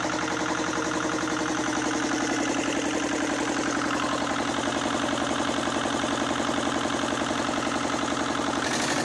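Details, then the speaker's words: 1979 Lister ST2 twin diesel from a light tower, after fuel bleeding, a new filter, a throttle adjustment and refitting the rocker covers. An even, crisp beat at about 220 a minute that never wavers; it runs like a watch. Normal idle. "I adjusted the throttle back to see if I can get the thing to idle and got the covers back on let's see what this thing does"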